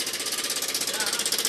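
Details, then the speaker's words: Yamaha Aerox scooter at idle, owner complaint of a noisy engine: loud, fast metallic hammering, around sixteen hits a second, from the top end, described as sounding like a helicopter. "Yun oh. Sobrang lakas ng lagutok. Parang tunog helicopter ah. At parang may nagpapanday sa loob ng kanyang makina."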